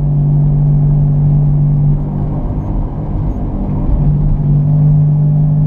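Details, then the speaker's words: Driving at about 40 mph: deep droning growl over road rumble from a bad wheel bearing, sounding like the right front, getting louder and worse the faster the vehicle goes. "that's a pretty significant growl now the faster we get going the worse it becomes"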